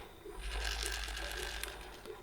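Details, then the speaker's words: EvoRetro Nintendo Switch Pro controller: low rough rumble-motor buzz with light plasticky chatter as the strong rumble shakes loose buttons in the shell. Controller buttons rattling from rumble motor. "the rumble is nice and strong you definitely will feel it but because of that all of these buttons here are a bit loose so the rumble like shakes those buttons and you can hear it"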